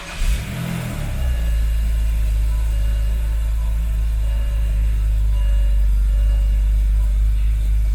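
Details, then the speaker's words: BMW E90 3 Series starting for a test drive right after front strut assembly replacement: cranks, catches and settles into a deep idle with a loud, raspy exhaust; owner suspects an exhaust leak or bad muffler, and thinks it runs rich from the smell. "But that exhaust sounds like it, almost like it has a leak, but it or a bad muffler. I don't know."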